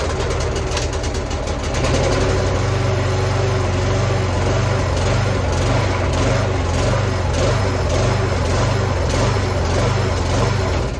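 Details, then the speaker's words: Well-used Hayter lawn mower engine running with an uneven, hunting and surging beat, then shut off and coasting down. The carburetor is suspected. "gonna do we'll start it and then you'll see the hogging and the surging"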